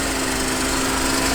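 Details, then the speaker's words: 1991 Mercedes 300E with about 200k miles, previously non-running, just started after wires were reconnected: a short, steady, even inline-six run with no misfire or knock. Normal idle. "I'm ready for the motor to blow up at any minute dude I can't believe it's running right now"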